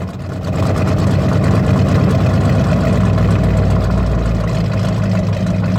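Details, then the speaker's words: 1984 K30 (owner believes), fuel-injected 454 big block with SM465 four-speed, after throttle jab: loud uneven loping idle with faint tick; slight misfire on exhaust side. "I hear a little bit of a misfire on the exhaust side. A little bit of a tick."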